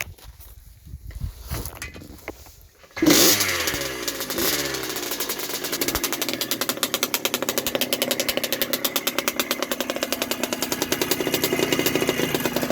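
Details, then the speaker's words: 1980 Yamaha YZ80G two-stroke, rebuilt with new piston, rings and small-end bearing, being run in, choke on, exhaust pipe cleaned out: fires and settles into a loud, raspy, crackling run; muffler packing worn, needs repacking. "Sounds a bit louder since I've cleaned out the exhaust pipe. The muffler needs to be packed. Sounds pretty strong though."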